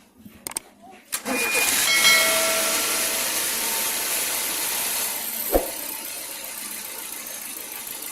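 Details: 2007 Nissan Sentra manual, 500k odometer, cranks, catches quickly and settles to a steady, even idle of about 775 rpm with no hunting or surging; healthy idle.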